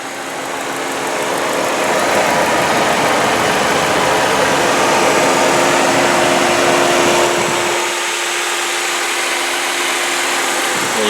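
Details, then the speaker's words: 2006 Saturn Ion 3 sedan, 2.2-litre Ecotec engine, heard at idle with the hood open: quiet, smooth idle with a faint steady hum and no valve train or lifter noise; engine tight and healthy. "can hear how nice and quiet it is there's no valve train noise no lifter noise and I promise you there's this engine is tight as conveyed"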